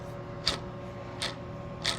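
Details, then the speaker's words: Crankshaft spun slowly by hand: a dry click about every two-thirds of a second with a gritty catch. A bad crankshaft bearing, in contrast to smooth bearings with no up-and-down play. "that's what a bad bearing sounds like every one of these bearings is buttery smooth has no up and down play"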